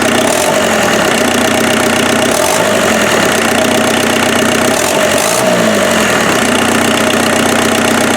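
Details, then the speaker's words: Offroad Mazda truck's freshened replacement turbo diesel, cold-start advance disengaged: loud, steady idle clatter with an even beat and no misses. No smoke, unlike the previous problem engine; normal smooth idle. "it'll sit here and idle all day though i love it oh it does not smoke at all"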